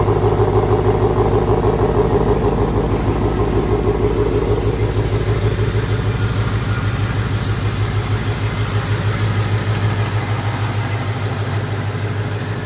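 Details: 2017 Ford Mustang GT (S550) after replacing left rear half-shaft thrust washer to fix clunk shifting drive-reverse and under hard driving, tested in reverse on driveway: even low rumble at steady pace, no thump or clunk; rear drive sounds solid.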